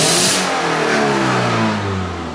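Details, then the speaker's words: Subaru with low power, three 3/8-inch holes drilled in the exhaust before the catalytic converter to test for a breathing restriction: a quick throttle blip revs freely, with loud raspy exhaust puffing from the holes. Exhaust leak. "when I step on the gas you can hear the exhaust pouring out those holes"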